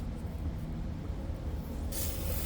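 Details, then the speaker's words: 1990 JCB 2CX diesel that cut out after starting: low engine rumble then a sharp hiss as the fuel line is bled, lots of air in the fuel system from a leak. "Oh, that's a lot of air. Right. Let's try and pry it through from the side."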